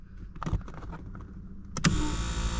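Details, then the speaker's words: Mazda power seat after the drive rod was lubricated to cure the squeal: a few clicks, then an even motor whir with no squeal or chirp as the seat moves; normal seat motor operation after the fix. "Check it out. All I did was lubricate it, put it back in."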